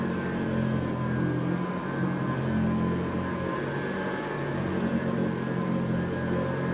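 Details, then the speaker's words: Eureka Montgomery Ward SP-824A upright vacuum, possibly 1965, 3.5 amp, metal fan, motor rebuilt by collector, new VG II brush, temporary Sanitaire bag: steady even hum and constant whine, no rubbing, surging or rattle; sounds like a 3.5 amp Sanitaire, like brand new. "God sounds exactly like a 3.5 amp sanitaire thanks to the seller and the collector who rebuilt the motor it sounds like brand new"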